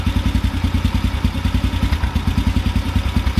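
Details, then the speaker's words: Carbureted motorcycle with the idle mixture screw backed out another half turn past 1.5 turns out. The idle is low and lumpy at about three beats a second with an uneven, stumbling rhythm, erratic as the mixture goes rich. "there's another half turn you can hear it kind of erratic now"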